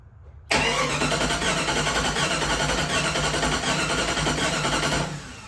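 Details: Fuel-injected Jeep Grand Cherokee that sat for years, cranked before fuel pump delivery: about four and a half seconds of steady starter churning that never catches; turns over but doesn't fire, no fuel.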